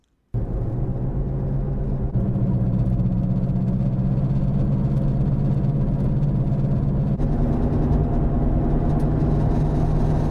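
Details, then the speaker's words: Jeep Cherokee solid rear axle while driving: a steady low droning roar from a failing outer rear wheel bearing. Jiggling the jacked-up wheels showed nothing because the bearing is unloaded; the owner first suspected the transfer case bearing. "and here's what happened to me i noticed the roar so listen to this it sounded just like this"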